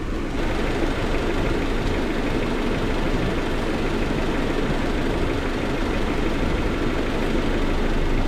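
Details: Bone-stock Honda Civic CX hatchback (EG) with a freshly swapped stock single-cam engine; steady, even idle, smooth low rumble, no knocks, misses or hunting. Healthy, no check engine light.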